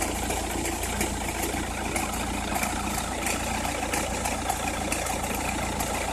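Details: Opel Meriva, cold engine at idle: dry irregular crackle about one snap per second over a steady idle, only when cold or at very low revs, stops once warm; noise localised to one side, cause unknown.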